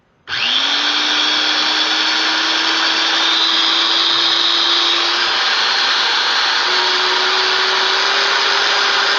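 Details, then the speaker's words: A power tool's gearbox, which ground audibly before, spins up with a smooth, steady whir and slowly rising motor tone and no grinding after being freshly greased, during a utility trailer build. "Wow, I could hear the before I would hear the gears kind of grinding together a little bit. Now I got the grease in here, it just"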